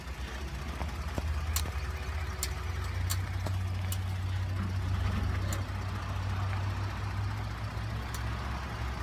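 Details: 2013 Ford F150 FX4 EcoBoost: sharp, irregular clicks over a low engine rumble while turning, fixed by replacing the IWE (integrated wheel end) solenoid.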